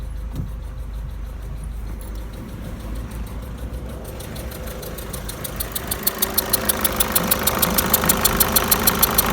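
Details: 2008 Peugeot 207 1.6 HDi diesel at idle: sharp, light ticks about three per second that grow clearer and steadier; source of the engine tick not yet pinned down.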